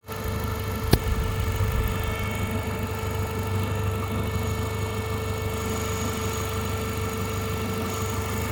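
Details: Renault Mégane 2 with 2.0 turbo F4RT 776 engine at idle: engine rumble with a steady high whine and one sharp click early on; abnormal noise, cause unclear.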